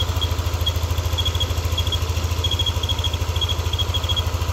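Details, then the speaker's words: Yamaha NMAX V2 scooter engine: quick even idle with a high thin whistle pulsing on and off, appearing only once the engine is hot and disappearing when revved; whistle at hot idle, cause unknown. "So ngayon para siyang pumipito. Yan. Pumipito siya pag mainit na yung makina pero pag ni-red mo, nawawala."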